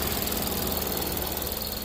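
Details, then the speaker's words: Ford Edge, 81,000 miles, after new spark plugs and swapping coil from cylinder two to one to fix a misfire on two when starting: steady, even idle with no stumble or skipped beats; misfire gone. "Spark plug in it. No more misfire."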